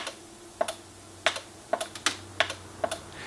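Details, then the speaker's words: NuTone IMA4406 intercom master station after repair: crisp clicks in quick pairs, one on push, one on release, clean and even. Normal relay switching. "one click when I push, one click when I release."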